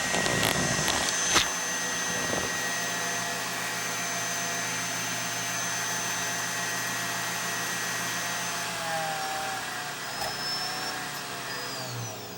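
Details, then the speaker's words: Lite-On LVW5005 DVD/CD recorder finalizing a CD-RW disc: steady high whirring rush with thin high tones, then tails off as it slows; the disc spins far too fast, drafting out the front. "holy smoke that disc is wound up fast you feel the draft coming out of the front of the machine like it's just"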